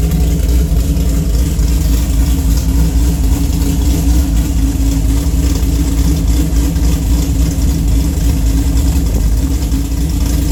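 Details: Pat G-spec Cam Motion cam (EPS lobes, 222/226, .629/.629, 112+3), Manzo stainless headers, Solo cat-back with mid muffler and J-pipes; deep lumpy note stumbles unevenly through revs and idle, choppier than the cam explains, a really bad misfire.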